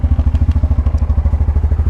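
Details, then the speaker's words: Coleman Outfitter 700cc Hisun UTV in neutral after fixing a wiring fault that caused no fuel pump cycling and no spark at the plug: steady, even low thumping at about 12 beats per second with no miss or knock, running sweetly. Normal idle. "It runs as sweet as a nut, and I'm very happy to have it back at work."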